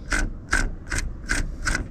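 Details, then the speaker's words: Dried-out clutch release bearing removed from the car and spun by hand gives dry, gritty rasps, one burst each turn about every 0.4 s. In the car it makes noise while the pedal is pressed and goes quiet when released. "ia muchas veces se presenta un ruido Como este cuando tú pisas el clutch Y esto es por el collarín Que al momento que el pedal está abajo el collarín hace contacto con el plato opresor y se escucha cuando tú sueltas el clutch se deja de escuchar el collarín tiene un balero que se reseca y una vez afuera se escucha así"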